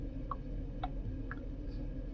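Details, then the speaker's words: Geely EX2 electric car, key-click sound setting on the infotainment: three soft, evenly spaced clicks about half a second apart over a low hum. The key-click sound plays normally. "Ini untuk bunyi klik. Tuh ya."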